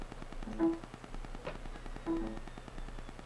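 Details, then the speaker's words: 750 GB SATA hard drive, failing, in a docking station right after installation; repeated dry ticks well under one per second over faint spin hum; head click of death. "That is the SATA drive, the 750 gigabyte. As soon as I installed it, that's what it did."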